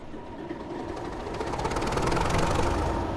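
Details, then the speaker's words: BR class 31 diesel-electric Type 2 locomotive started by engine start button: diesel catches and builds to an even rhythmic beat of about four pulses a second, swelling steadily; clean, normal start-up. "so the engine is started by pressing this button here"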